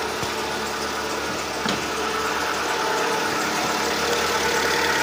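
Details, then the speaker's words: Seat Ibiza 1.4 petrol after a new spark plugs and the failing ignition coil were fitted: even, round idle with a light auxiliary belt whir and no misfire pops. The engine is running smoothly; only a stored engine fault remains to clear. "The auxiliary belt sounds. Let's see if the motor here. For now it seems round and here. We no longer hear any strange explosions."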